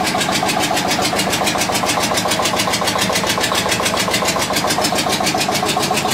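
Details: Witte diesel generator, unstarted 45 years, refilled with water and three gallons of oil: strong regular thumping about 214 beats a minute, no skips or knocks, running smoothly; generator output only about 2.5 V versus ~64 V expected.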